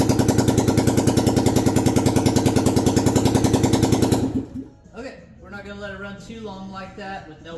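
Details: 1972 Honda XL250 single, just after a top-end rebuild, fired up without exhaust fitted, ignition at standard timing, oil flowing through the head, before break-in; steady even thumping with no miss or knock, sounding great: normal running.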